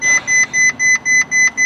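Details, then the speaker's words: Ferrari 458 at first start after rebuild and cooling system work: steady high-pitched double-tone dash chime, about four beeps per second, warning of stored suspension, parking sensor and light sensor faults the owner expects to reset. "disregard all these failures I think too detrimental suspension parking sensor light sensors regs we can reset that virtual system"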